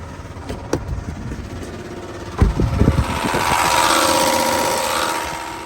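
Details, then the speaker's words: Newly installed AC/radiator cooling fan on a vehicle with a fully replaced front end, engine hot, low coolant: engine idling, then hard clunks as the fan kicks on and whooshes up, blades striking something; fan installed without being hand-rotated to check. "that's the brand new fan that the technician installed he just put it on there but this gets to this gets to the point of experience and a lack experience you don't put on a rotating device without rotating it a few times to check"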